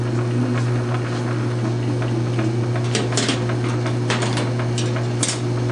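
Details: South Bend 9-inch lathe converted from Model B change gears to Model A quick-change gearbox, slow test thread cut; steady low hum, constant even tone, light chatter from the cut, thread pitch correct: normal running.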